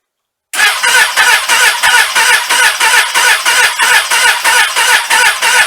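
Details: Suzuki Katana motorcycle with Ballistic battery, parked since last fall through a cold Toronto winter with no charge, full choke: slow, laboured cranking at about three compression beats per second, never fires; cause unconfirmed.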